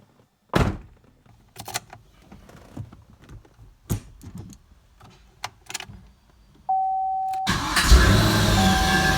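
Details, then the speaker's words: Cadillac CTS-V starting on a replacement starter from a GM 6L V8 truck engine, after a harmonic balancer replacement: a steady high screech under a second before the engine catches, and the pinion gear seemed to lag; starter screech on cranking. "now a bit of screeching there from the starter I'm going to let it run and then we'll turn it off and start it again but a little bit of a seemed like it was lagging a little bit that pinion gear"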